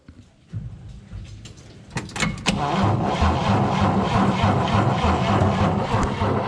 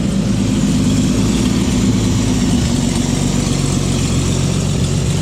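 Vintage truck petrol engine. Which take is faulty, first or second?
first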